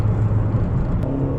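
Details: 1990 Peugeot 205 XS with 85 hp TU3S wet-liner petrol engine, owned about 10 years, on the road: deep, even engine note pulling cleanly under acceleration, no knocks or rattles; normal healthy engine acceleration.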